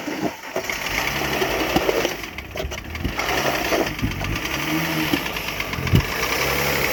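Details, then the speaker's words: 2006 Mercedes C-Class W203 with M272 engine, sat a year: uneven sharp ticks and knocks over a rough, unsteady idle. Endoscopy found severe cylinder bore scoring and oil in a cylinder; a replacement engine is needed. "Так, ну что, двигатель приехал, к сожалению. Классный мерсовский движок. Но что-то пошло не так. Такого задира, как здесь, я не видел еще никогда."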